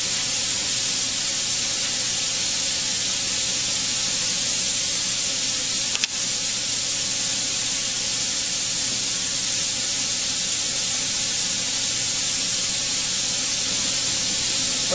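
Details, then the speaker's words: Benchtop steam sterilizer (pressure cooker) after about half an hour of sterilizing, valve flipped with exhaust fan on: steady, even high hiss of steam venting with no sputter or whistle; normal pressure release. "So now I'm ready to release the pressure. When I do this, it will fill the room with stench, so I will turn on the exhaust fan before I flip the valve."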